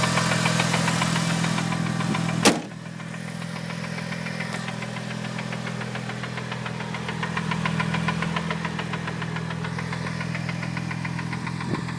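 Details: Newly bought Mitsubishi Evo 8 at idle: a light, fairly regular knock about three times a second over a steady idle. The seller says clutch release bearing; the cause is unconfirmed.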